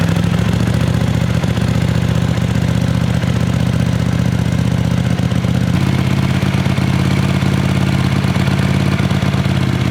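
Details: 1979 Honda CX500 twin after restoration (sat 5 years, carburetors rebuilt, new water pump): steady, even low burble at idle with no knocks or misses; smooth, healthy tickover.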